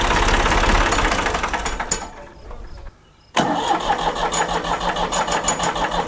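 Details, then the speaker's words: 1975 Ford 550 backhoe diesel started after a fuel filter change: cranks and catches with an uneven chug, stumbles and cuts out, then fires again roughly; hard starting from air in the fuel system. "Air in the system. All right, folks. We had a little exercise in, let's call it patience and learning."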